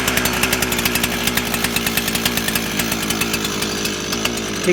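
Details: Stihl FS400 brush cutter two-stroke, repaired with a Chinese carb, warm with no choke; crisp, even buzz with steady pulse, no misses or surging; normal running.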